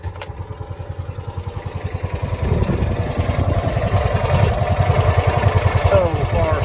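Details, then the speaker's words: Kawasaki FE290D single-cylinder engine in a John Deere Gator after an ignition coil replacement, running steadily and revving smoothly with no stumbles; previously ran and died, bucked and backfired, fuel ruled out; new coil fixed it. "guys we got the john deere going one more time put a new coil on it and that fixed the issue"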